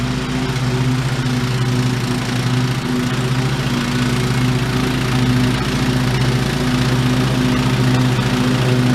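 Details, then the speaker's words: Old OHV Briggs single-cylinder on White LT1300 lawn tractor, repaired after pop, rattle and clang failure, test mowing: smooth even beat at steady speed, no tapping or stumbling; normal running under load. "I guess for now I would consider this thing resurrected. Looks like she might go again for a little while longer."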